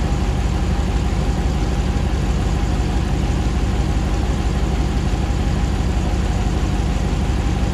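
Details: 2009 Hemi 1500 TRX4 auction truck, first start after months of rebuilding: steady even low rumble, about 87 psi oil pressure, idle settling smoothly while warming with no knocks, misses or hunting as before; normal idle.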